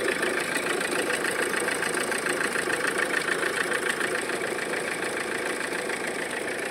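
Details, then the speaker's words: Mahindra XUV500 diesel at idle in neutral: constant rattle about three times a second over diesel clatter, whole engine vibrating; belt appears possibly cut, bearing or tensioner suspected. "पूरा vibrate कर रहा घर घर घर घर और इसका शायद बेल्ट भी कटा हुआ है बेल्ट भी शायद कटा हुआ दिख रहा है"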